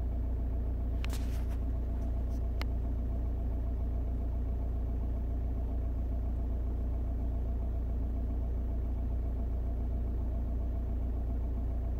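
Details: 2002 Audi A4 B6 1.9 TDI PD130 (AWX): deep diesel idle rumble with occasional stumbles breaking the even beat; intermittent misfire at idle, later solved.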